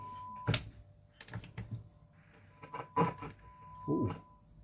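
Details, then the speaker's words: 1964 Fender Showman amp during service, vibrato channel: irregular crackles and pops over a faint hum as the controls are turned, scratchy potentiometers that just need cleaning. "just need to clean those pots. No big deal though."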